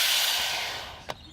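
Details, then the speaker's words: Volvo wagon with poor fuel economy and hard cold starts, fuel tank pressurized with a bicycle pump through the delivery line: a sharp hiss of air escaping at the fuel door and cap, fading over about a second. The tank holds pressure, so no leak. "you will hear the car sing that is literally the air I'm pumping in escaping through the fuel door"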